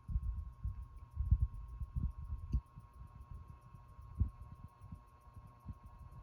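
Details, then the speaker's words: 1970s Hitachi DF-601A 12-inch oscillating desk fan, running on speed one, motor needing oil and service: steady low hum with a thin constant buzz on top, something plastic vibrating loose in the housing. "Little bit of a plastic buzz going on in there somewhere."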